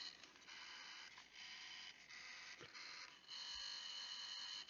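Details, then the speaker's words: Intel NUC5i7RYH at power-on: small BSB05505HP brushless cooling fan whirs with a harsh, uneven scraping, grinding chatter that varies with the unit's position; the fan bearing is failing and a replacement fan is ordered. "okay today we have an intel nook this one is an older model it's a nuc five i7 r y h okay and the issue with this is the fan is dying so when we power it on it makes a scraping grinding noise"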